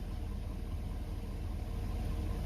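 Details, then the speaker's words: 2017+ Ford 6.7 Powerstroke diesel, warm, started after fuel filter change and air bleeding: deep, even idle with a steady low rumble and no knocks or misses. Running normally. "and crank it up. Fired right up. I let it run a couple of seconds."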